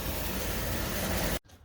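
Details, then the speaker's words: Motorbike tyre after a puncture repair: a steady hiss of air escaping past the plug, then it stops abruptly. The plug failed, possibly because it went in with no air pressure in the tyre, and a new tyre is needed. "so this plug hasn't worked you can hear the uh you can hear the air leaking out from there well new tyre needed"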